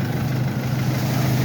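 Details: Mercedes that would not crank even with a new battery; its starter motor is hidden behind the turbo. A smooth, constant low hum at steady speed with no knocks or stumbles. A healthy, even idle.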